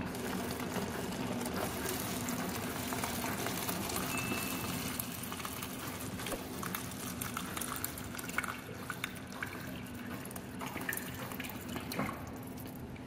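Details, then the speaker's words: GE refrigerator dispenser after a new GE MWF filter: irregular spitting and gurgling as trapped air purges from the line; normal, and running it a few times until the stream is steady clears it. "you just want to keep running this a few times until your water starts coming out with a nice stream and not sputtering. You just want to get all the air out of the line."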